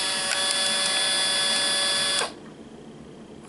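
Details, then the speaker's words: Fujifilm Instax Mini 7 instant camera: steady high buzz for about two seconds between shots, then cuts off cleanly; the film ejection mechanism working normally. "escucha al final entre cada fotografía es precisamente el mecanismo que hace recorrer o extraer cada una de las filminas"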